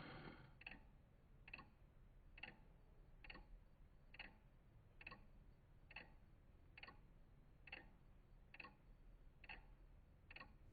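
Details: Vintage Coca-Cola electric rewind clock, reassembled in its case after replacing the failed rewind motor: crisp, even ticks about once a second over a faint low hum; rewind cycle normal, replacement motor quiet unlike the noisy old one.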